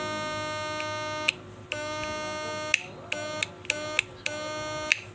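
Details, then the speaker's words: Snapman 2022 Snap inverter fish-shocker after repair, fed 12 V at 2 A: strong even buzz in clean bursts, steady pitch, louder with cover closed; inverter working properly. "ลองเครื่องก็ต่อไฟเข้ามาก็ไหมครับดังๆแบบนี้นะถ้าเราปิดฝาก็จะดังเสียงใหญ่ขึ้นมันเทาเห็นหน้าไปนะฮะเสียงมันจะดังแรงขึ้นนะ"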